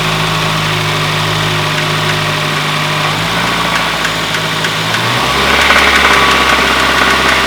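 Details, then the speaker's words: 2010 Kia Forte Koup 2.4 L, 6-speed manual, idling: steady hollow knock three to four times a second, connecting rod bearing knock; spark plugs to be pulled to find cylinder. "so there's without a doubt a knock in the engine so we're gonna pull out all the spark plugs and see if we can find where there's slop in one of the rod bearings"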